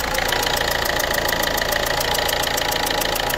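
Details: PSA DV4 HDi diesel, first generation, at idle: sharp even chuffing ticks about 3.5 per second; injector seals leaking combustion gas, with burnt gas smell and carbon buildup.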